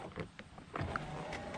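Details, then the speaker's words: 2015 Chevrolet Camaro LS passenger door, key on, window up, switch pressed: low strained motor hum with crinkling and crackling behind the door while the glass stays still; suspected cable tangled in the regulator motor, so regulator and motor were replaced. "you can hear it crinkling and crackling behind the door so I believe the cabling behind here is what's all tied up in the motor itself"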